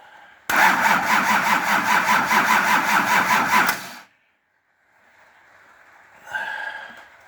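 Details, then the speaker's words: Nissan LD28 diesel in a 40 series Land Cruiser, not run for years, injectors cracked with a repaired starter: steady cranking at about 2.5 beats a second for three seconds, never catches; fuel cut-off solenoid unpowered, so no fuel. "So when you turn the ignition on, the solenoid plunger is drawn in just like a starter solenoid plunger is drawn in, and that allows fuel to flow. And that's why I wasn't getting diesel coming out when I was cracking those injectors."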